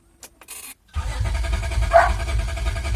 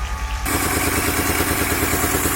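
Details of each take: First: 2003 Honda Accord V6 with freshly swapped engine (previous one had rod knock), cranking with fuel pump fuse pulled to build oil pressure, no start; strong, even cranking about three and a half beats a second, oil light still on; normal cranking. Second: 2003 Honda Accord V6, first start after engine swap (previous engine had rod knock), borescope showed oil in cylinders; uneven, shaky idle with skipping exhaust pulses, missing on some cylinders; misfire.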